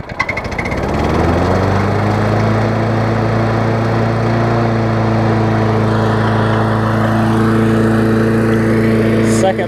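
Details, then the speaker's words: Old Murray 22-inch push mower with transplanted ~3.5 hp Briggs & Stratton, finished revival after years unused (new muffler, fresh gas, cleaned tank), started right after washing: catches quickly, revs up, holds steady even hum, no misses; running healthily. "not too bad right after Washington yeah not too bad actually surprised I got this one going"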